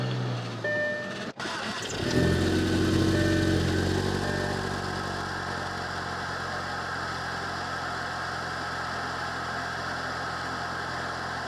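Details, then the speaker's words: Turbocharged manual car, straight piped, airbox removed for cheap open filter, mic in engine bay, diverter valve plugged in (stock): cranks, catches, quick rev falling back over a couple of seconds to even idle; normal. "A couple things that add to the turbo noise itself is having a filter or an intake. In this case, we just did the cheap auto parts store filter, took out the air box, and we did that just for sound."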